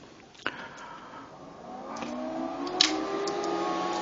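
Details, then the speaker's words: Arctic Air Ultra personal air cooler running with iced filter at top (third/high) fan speed, its maximum noise: soft whir climbing in pitch as the fan spins up, a couple of light clicks; normal fan running noise. "This is the sound that this fan is doing. This is the maximum noisy level that you can hear. So this is in the third speed of the fan."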